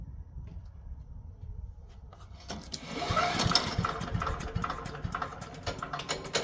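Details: Older 5 hp Briggs & Stratton on an abandoned chipper, revived with Deep Creep on the valves. Restarted with the air cleaner refitted and a little choke: it catches and settles into a light, quick, slightly uneven putter without misses. Normal running.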